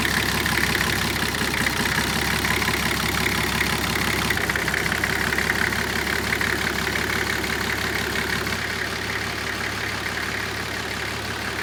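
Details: Nissan Patrol with TD42 diesel conversion, GTX28/63 turbo, 11mm injector pump and water-to-air intercooler, just started after bleeding injectors: steady, even idle with regular clatter, no stumbling; firing cleanly on all cylinders.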